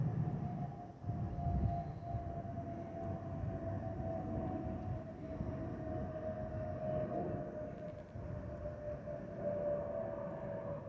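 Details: Spirit Airlines Airbus A319-132 N508NK, flight FLL–DTW, in the cabin: a steady whistle around 700 Hz over the cabin roar. This is the normal fuel over-pressure protector (FOPP) whistle.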